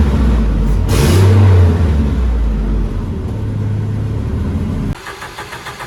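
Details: Built turbo Volvo wagon drift car on MegaSquirt, after fresh build no-start and a corrected plug-wire firing order: engine catches and revs cleanly, then settles to an even idle with no misfire or stumble; running smoothly on all cylinders.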